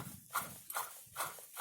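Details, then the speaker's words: Opel Astra, about 122,000 km, removed SKF water pump fitted about 10,000 km earlier with timing belt, spun by hand: rough, gritty rasping in regular bursts, like a cement mixer when running: worn water pump bearing. "a na odpalonym silniku to jeszcze lepiej chodził normalnie jak betoniarka"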